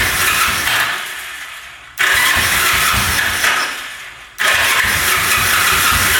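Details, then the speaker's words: 1974 Yamaha TX500 sat 27 years in a barn, oil poured down both cylinders, choked: two long cranking runs slow and stop without catching; puffs over and stalls after about 50 attempts. "Well, I have attempted starting this thing probably 50 times now. Putting oil down there, trying to start it. you know, it puffs over a couple times and stalls"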